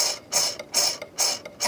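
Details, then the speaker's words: Yaesu FT-1000MP transceiver, previously worked on by other techs: the squirrel-cage cooling fan turned by hand gives scratchy rasping bursts about twice a second as it binds on a black wire, possibly also an end cap. "hear that it's binding on a black wire in here so whoever threw this back together didn't check anything out"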